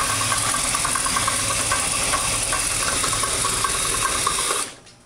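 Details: 1986 Oldsmobile Cutlass Supreme with 455 V8 build at about 8,000 miles, idling with a light repeating knock, three or four a second. Began within the last 50 miles; 5W-30 and 10W-30 synthetic tried, oil level correct, stock pan. Cause unknown.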